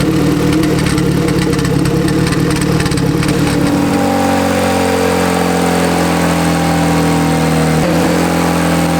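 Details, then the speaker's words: Turbo Honda Civic, B18C1 GSR swap on bone-stock internals, Dynojet dyno pull: engine pulls hard then power chops abruptly early in the run, likely hitting the boost cut set at 20 psi at 19 psi boost; it did not appear to go lean. "Pretty sure it hit boost cut. No shit. 19 pounds. Yeah, that sounds about right. The boost cut's at 20."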